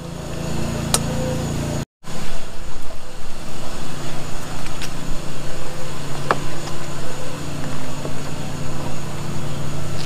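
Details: Craftsman 21" push mower, Briggs & Stratton 6.75, after carburetor cleaning and a new spark plug and air filter: fairly even thrum with some gusty unevenness, no stalling or surging; running better the longer it runs.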